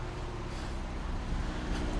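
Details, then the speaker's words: 2002 Ford Focus 1.4 petrol with codes P0304 (cylinder 4 misfire) and P0420, revved: lumpy, uneven low rumble stumbling as revs rise, blue-white smoke and bad smell; misfire from a faulty spark plug. "go a bit more I don't know if you can hear just how bad that is now"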